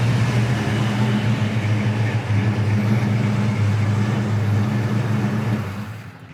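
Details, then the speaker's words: 1974 Pontiac Firebird Formula, numbers-matching 400 V8 4-barrel, 3-speed automatic, dual exhaust: deep, even rumble with smooth beat, no knocks or misses, fading out; healthy engine. "Engine runs awesome. It's the numbers matching 400 4-barrel."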